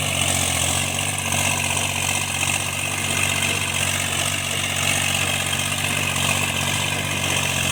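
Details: Tractor diesel cultivating after an engine knock repair: smooth even drone holding steady under field load, no knock or clatter; healthy running.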